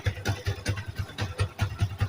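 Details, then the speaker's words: Yamaha Vixion NVL idling with the clutch lever pulled: about five dull knocks a second clatter over the idle; mechanic suspects a worn or loose clutch basket, to be opened for inspection, not confirmed. "ketika di kopling timbul suara kemrock akan kita eksekusi"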